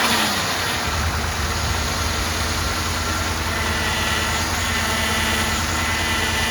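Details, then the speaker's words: 2007 Cadillac DTS, 4.6 Northstar, before pump replacement: engine starts and idles with a steady whirring hum from the noisy power steering pump, which also leaks at the back. "it's kind of leaking on the back side but uh it's more noisy than anything"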